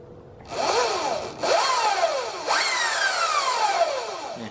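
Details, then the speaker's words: Electric bike after installing Luna Cycle primary drive 219 chain conversion kit, cover bolted on: three throttle blips, each a whine rising and falling with motor speed plus light chain rattle; primary chain drive whine, sounding almost the same as without the cover. "sounds almost the same with the cover on there but definitely keep the cover on there"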